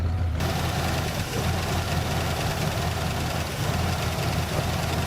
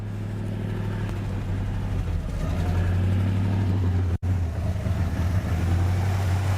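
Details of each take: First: 1967 Buick GS 340 just started after sitting 15-20 years, cold: steady idle with faint light ticking, lifter noise; owner expects it to clear once warmed up and oil changed. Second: 1967 Buick GS 340, first run after sitting a long time: a low, steady, even V8 rumble with no knocks or misses as it warms up; oil pressure and water temperature are fine, and smoke (possibly fuel smoke) is clearing.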